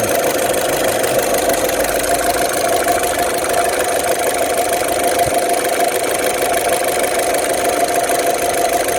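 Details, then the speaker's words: 2008 Saturn Astra, just over 114,000 miles, after running a while following throttle body replacement (it had lost power and fuel mileage and shifted oddly), no check engine light: steady idle at constant pitch, no knocks or stumbles; running smooth. "running smooth though feels good we'll take it for a drive in a bit"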